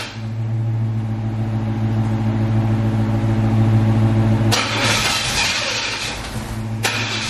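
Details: C4 Corvette after jump-starting its dead battery: the starter turns the engine over steadily, about 3.5 pulses per second, but it never catches. Crank, no start; owner later suspects air escaping.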